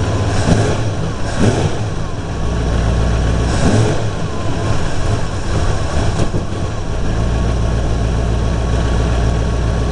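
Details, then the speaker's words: Truck engine, stone cold after sitting overnight, vacuum gauge connected, vacuum advance disconnected: revved hard, a few sharp pops backfiring through the exhaust and the revs stumble before recovering; rough cold running. "now it's still cold we've still got a little just that little backfire through the exhaust there and quite a bit of a stumble"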